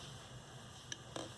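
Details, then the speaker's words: Old computer hard drive in a USB external enclosure: quiet low hum broken by a sharp double click every one to two seconds. The computer no longer recognizes the drive, which is failing. "hopefully you can hear that clicking it does that for probably about oh i don't know it's between one and two seconds it'll click"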